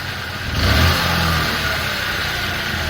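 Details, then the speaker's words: 2003 Honda Elite 80 (CH80) scooter revived after sitting 15 years, airbox off, manually choked: small engine surges in a quick rev then sags and hunts, unstable idle. "I manually choked it and it ran okay but the idle's kind of all over the place so let's see what it"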